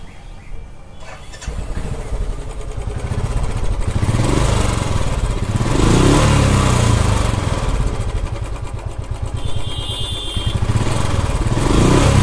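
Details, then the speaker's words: Royal Enfield Classic 350 single cylinder: cranks, catches, then thumps with ragged, clattery beat swelling with each blip; cracked-sounding top-end noise and rough running, hydraulic part suspected, not confirmed. "तो sound आप लोगों ने देखा फटा हुआ आ रहा है"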